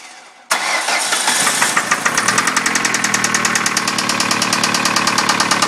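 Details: 2003 Ford Focus Zetec engine at idle after a quick start: sharp, steady rapping about three times a second, a clear internal engine knock.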